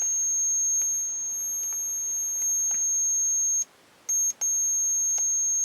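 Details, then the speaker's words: HP-41C calculator with a finance module on a new connector: a steady high-pitched electronic tone breaking off with faint clicks; it beeps for an unknown reason, something wrong with it: abnormal beeping. "You can hear it beeping maybe there. This one beeps for some reason. There's something wrong with it."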